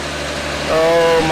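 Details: El Camino with 350 small-block V8, 65,000 original miles, first start in two years: steady, even idle with a smooth low purr and no knocks or misses; normal healthy idle.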